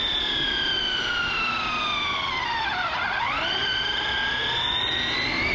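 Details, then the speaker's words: Redcat Kaiju EXT RC truck on 3S at full speed, about 36-37 mph: high whine climbing and falling as it races past; pinion mesh set ultra tight. "but you could hear that that mesh got ultra tight so what i'm gonna do i should take a piece of paper and jam it in there"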